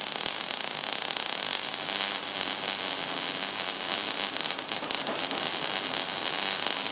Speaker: Ну вот примерно так было видно при недостатке проволоки. Дуга начинает шипеть и просто плевать.